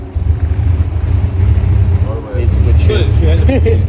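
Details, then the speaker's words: Nissan R34 Skyline, RB25DET NEO, stock internals, full bolt-ons, turbo, about 500HP build, first start after two years; deep loping idle with uneven pulsing beat and a short dip midway; lumpy idle, otherwise healthy. "Sorry you got the lumpy idle. Sorry you got the lumpy idle. Sounds so good."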